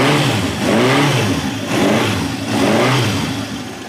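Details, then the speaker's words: 1971 Honda CB750 K1 (build date 7/70), original survivor bike, about 18,000 miles, hard starting and needing carb work: started cold, it surges unevenly about once a second, never settling, despite the idle set when warm the day before; poor cold running. "choke does I know it's cold but it just does not want to run I have the idle set from yesterday when it was warmed up"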